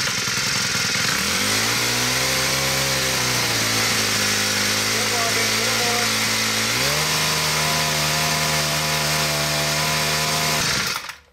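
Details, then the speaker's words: Poulan Pro PP5500P pole saw on PP428S trimmer power head, two-stroke at full throttle after richening the high-speed screw (factory-set too lean): steady high revs with no bogging or dying; low-speed screw still slightly lean, dies off idle. "see now full-throttle it runs fine without bogging and dying"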